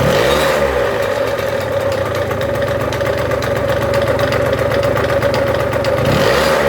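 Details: Engine revs up and holds with a fast metallic clatter of about four per second riding over it: engine rattle, source not pinned down.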